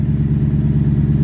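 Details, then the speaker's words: BMW E92 M3 S65 V8 in limp mode from failed throttle actuators, awaiting replacement: lumpy low idle pulsing unevenly about nine times a second; car has been sitting stopped due to this fault. "see that see all that stuff yeah that's why the car has been stopped and you guys hear that too so the car is in limb mode um my throttle actuators went bad"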